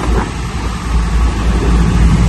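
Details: Trane rooftop package unit after adding refrigerant charge, not-cooling service call with blown fuses and ice; deep steady rumble, even low hum, no rattles or surging. Running normally, 55 on low side, no ice, cold air.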